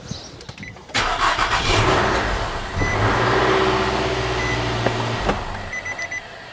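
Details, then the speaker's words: Vehicle started with a NexPow G17 jump starter with the battery disconnected; brisk crank of about four turns a second catches within seconds and settles into a steady idle. Normal engine start. "so there you guys go guys this thing works amazingly"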